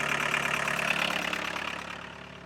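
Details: 1982 VW Golf Mk1 1.6 diesel, sat 12 years, after oil, filter and coolant service: even idle clatter with no misses or knocks, slowly fading out; normal idle.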